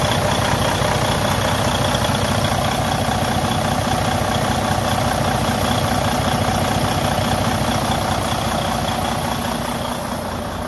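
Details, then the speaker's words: Freightliner Cascadia with DD15 diesel at idle: constant rushing hiss from the open crankcase filler, excessive blowby caused by a cracked cylinder liner. "but today i'm going to show you what causes that problem a excessive blow by coming from the crankcase area"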